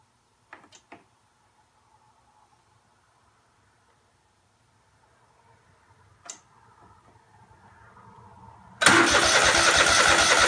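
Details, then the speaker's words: Craftsman DGT 6000 engine first test start after reassembly (new fuel line, air cleaner, oil change, cleaned plugs): a few clicks, pause, then loud steady starter churning without catching; fuel filter just filled, fuel not reaching carburetor — cranking, no start. "the fuel filter just filled up so you should be heading up into the carburetor now"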